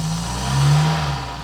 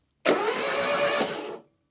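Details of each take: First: Barn-find Citroen BX 4x4 running after about 13 years off the road, with the missing engine-bay parts refitted. It runs smoothly and evenly with a brief gentle rev rise and no knocks or misses. The idle air control valve is not working; relays are suspected. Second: Citroen BX 4WD barn find, not run for about 13 years, with ECU electronic ignition, after a new injector was fitted and fuel pressurised: two spells of steady starter cranking that never fire. No spark; the crankshaft position sensor is to be checked next.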